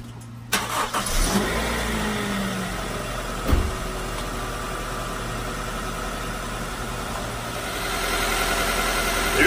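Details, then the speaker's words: Honda CR-V, 216,000 miles, oil unchanged over 2 years: cold start cranks and catches, then a quiet steady idle with no valve chatter or ticking; expected to get quieter as RPM drops. "right there, it's running pretty quiet. Especially for 216,000 miles on the vehicle and over 2 years on the oil. Pretty quiet. That's a cold start too, so it'll actually even get quieter as the RPMs drop."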